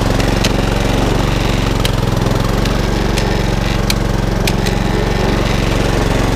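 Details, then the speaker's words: HRX476 mower, fully serviced, drive belt rerouted over the back pulley after being installed incorrectly: even, steady single-cylinder thump at constant speed with no misses or rattles; runs cleanly, drive strong, rotor clutch works. "That's all now up and running. The drive now is as strong as anything."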